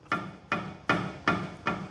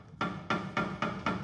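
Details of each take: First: Helicopter tail rotor drive shaft worked by hand at a good point further down, for comparison with the worn bearing. Soft, even small thunks about every 0.4 s with no hard knock; this is normal. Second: Helicopter tail rotor drive shaft pulled by hand during a check after heavy vibration in flight. Sharp, hard metallic ka-thunks about four a second show too much play from a worn bearing; the tail and rear transmission must come apart for specialized grease.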